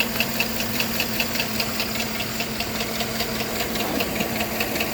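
Sharp regular knock, about two and a half a second, ticking over a quiet steady idle; a clear knock from inside the engine.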